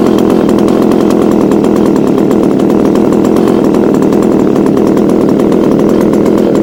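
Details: Echo HC2000 two-stroke hedge trimmer, a garbage find with carb adjusters removed, running after primer bulb replacement: constant, even high buzz with no dips, misses or surging; smoking blamed on a bad oil mix, Seafoam added.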